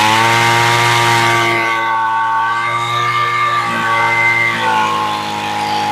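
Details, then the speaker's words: Homelite Mighty Lite string trimmer two-stroke with replacement carburetor, revved while adjusting the high-speed screw (the one farther from the engine) after setting idle: steady high buzz holding firm and clean with slight pitch drift; sounds pretty good at full throttle. "There you go. And that sounds pretty good."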